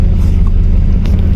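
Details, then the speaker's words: 1999 Chevrolet S10 pickup running after a battery replacement; deep steady low rumble with an even beat, no knocks or misses: normal idle. "turn the key, boom, done. Where? Running. Perfect."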